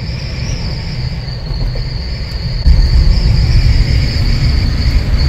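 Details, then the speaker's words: Jeep Wrangler Unlimited JK with a tilted-up 50-inch LED roof light bar, while driving: a thin, steady high whistle over road rumble as wind hits the bar. The fix is tilting it down slightly. "yeah it's pretty it's a pretty common issue everyone always talks about there's like a whistling noise that happens it's pretty much just the wind when it hits it"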